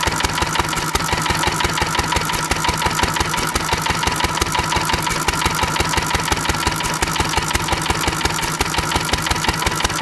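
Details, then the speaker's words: Antique stationary engine running on a high Sea Foam-to-gasoline mix with a richer mixture screw. Heavy regular thumps, about three a second, with a hard knock on each firing; it shakes badly and knocks on Sea Foam, with puffs of white smoke. "shaking so much she keeps knocking"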